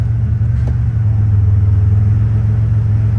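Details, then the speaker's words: 1989 Pontiac Trans Am Pace Car, 3.8L V6, after a cold start: deep steady idle, faint click and slight idle sag as the A/C compressor engages, then rpm rises when it shuts off; all normal. "You'll hear the click of the compressor when I shut it off. There we go. See the RPMs go up."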